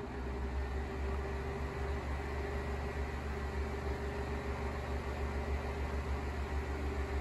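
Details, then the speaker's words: Sears 12-inch oscillating fan 453.80120, Lasko Galaxy-style motor, at medium speed: steady hum with a loose, uneven low rattle pulsing about three times a second, more pronounced than on low; worn motor bearing. "it's got the classic lasko galaxy winding the motor wind but it does have a rattle it does have a little bit of a bearing rattle so i don't want to run it too much here i'll go to medium quickly rattle's a little more pronounced hi"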